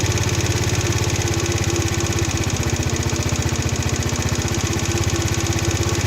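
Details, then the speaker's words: Chinese four-stroke scooter (139QMB/GY6-type) after swapping the airbox for a pod filter and tuning the carburettor; warm, smooth, even putter at idle with no hunting or stumbling; mixture set right, normal idle. "yep so that sing really nice and that's uh it's under that lovely smooth running engine"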